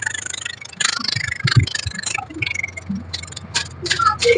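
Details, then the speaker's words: Samsung inverter refrigerator compressor driven from its PCB on a bench test without other modules, drive signal settable 4–40 kHz, mic held close; steady low hum under light irregular clicking, no knocking or grinding: normal compressor running. "Nah, nyala dia sebentar, habis itu mati. Setelah itu dia akan menyala dan kompresor ikut menyala."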